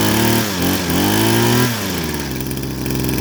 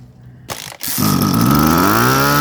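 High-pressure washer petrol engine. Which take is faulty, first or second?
second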